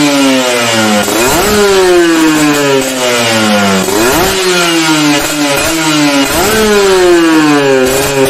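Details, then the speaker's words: 2-stroke motorcycle with an oversized carburetor main jet: repeated revs climb, then turn rough and burbly at the top instead of revving clean. Rich running. "Nah itu contoh main-jet terlalu gede ada motor 2tak jadi atasnya itu bakso ngorok ya"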